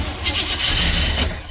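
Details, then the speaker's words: Cranking on jumper wires: fast churn that barely fires. Only starts with a jumper on the ignition coil; weak spark makes it a hard start. Once the jumper gives good spark, the difference is audible. "You can actually hear the difference. Right. The only way I can get it started was to jump that on that coil."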